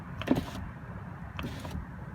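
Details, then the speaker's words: Driver's power window: two soft switch clicks at the second detent with no motor run, so auto-up fails while auto-down works; auto-up calibration lost, fixed by rolling the window fully up and holding the up switch. "though you hear the second detent it's not going up so even though if you press Auto down it goes down without of up doesn't work"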